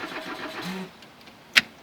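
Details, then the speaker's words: Old Audi on road trip, fuel gauge low: starter whirs under a second, goes quiet without firing, then a sharp click; cranks no-start, fuel pump suspected, not confirmed. "so just to prove to everyone that it doesn't work I'll attempt to start it and you'll see it just doesn't want to go"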